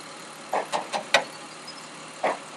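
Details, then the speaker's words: Engine with code P0304, cylinder 4 misfire, idling with engine cover off: stumbling idle with uneven puffs as one cylinder drops out. "now we have a p304 cylinder number four misfire"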